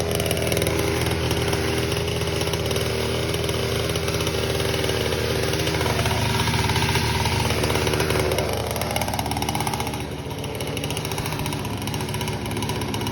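Small single-cylinder engine buzzing at a steady fast speed, slight dip near the end, running cleanly with no knocking.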